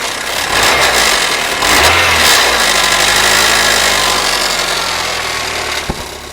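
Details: Rover engine knock: revs then settles, with a steady tapping knock about three times a second over the running; source not pinned down.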